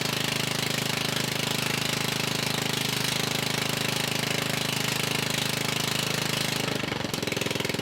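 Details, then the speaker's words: Murray riding mower, single-cylinder engine previously locked up, run with the exhaust removed because it smoked heavily, to see whether the exhaust caused stalling: sharp, raspy, loud open popping at a steady rapid beat that stumbles near the end. Stalling possibly from low fuel. "I went ahead and removed the exhaust because it was smoking so bad and I want to try to see if that was a cause for the engine to stall out"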